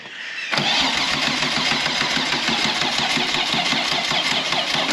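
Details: 2 L V6 trike on battery, fuel in tank: starter spins the engine with a steady, even chugging rhythm but it never catches; crank no start, traced to a seized fuel pump giving no fuel delivery.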